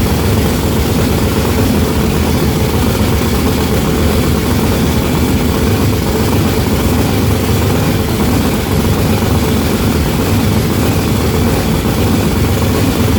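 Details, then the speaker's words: Blown, mechanically injected big block on methanol, first start: loud, heavy, rough idle with a lumpy, uneven low rumble; front two cylinders not firing despite fresh plugs, new wires and a compression test; cause not yet found. "So we have a little issue on our hands. All these cylinders are firing except for the front two."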